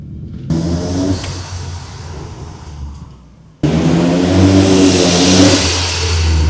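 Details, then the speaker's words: Ford Sierra Cosworth RS under restoration, first test drive, recorded from the rear bench: engine pulls hard, the roar climbing with revs and a rising whoosh under boost; turbo spooling up normally, with backfire pops mentioned. "Ah, là on a entendu le turbo là. Ah là, on l'a entendu, ouais."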